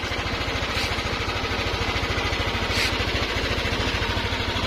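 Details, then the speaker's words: Yamaha NMAX 155 scooter idling after repair at a Yamaha service center: steady, even low thrum with no ticking or rattling; previously very noisy, now quiet. "ipaparinig ko po sa inyo yung tunog niya ngayon at hindi na po siya maingay"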